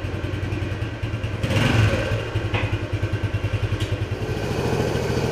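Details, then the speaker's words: 1976 Honda XL175 single-cylinder after restoration and carburetor adjustment, riding: thumping rises and pulses but revs flare without pulling the bike along. The clutch is slipping, worse than before. "so I don't know what the deal is at the clutch it actually slips worse than a bit before"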